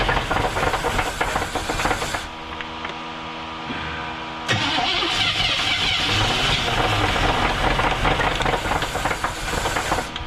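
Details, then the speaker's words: 1978 Chevrolet Nova Custom 305 V8, abandoned for 33 years, run briefly on a fresh battery: cranks, catches and runs rough with a rapid repeated knock, about three to four per second, under the idle; the bottom end is suspect. "but I think this one's knock knock knocking on heaven's door we're going to try it again put a fresh battery in so hopefully we can run it for a couple seconds and it it's it's knocking it's not good but let's let's at least hear"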